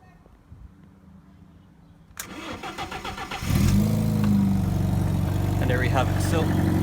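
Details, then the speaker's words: 1.4 petrol car with a completely flat battery at 0.0 volts, jump started with a 70mai PS01 jump starter: about four cranking pulses a second, then catches cleanly into a steady even idle; normal cranking and start. "that has started the car from completely flat uh we checked on the multimeter first it was 0.0 volts uh absolutely nothing in this"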